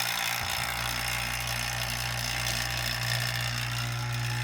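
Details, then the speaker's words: Cheap hobbyist automotive AC vacuum pump running, giving off a little oil vapor: a steady low hum with an even drone, no knocking or rattling, very quiet. Normal operation. "you can see there's a little bit of vapor that comes up but the volume is actually uh volume with respect to audible volume um noise level it's actually very low"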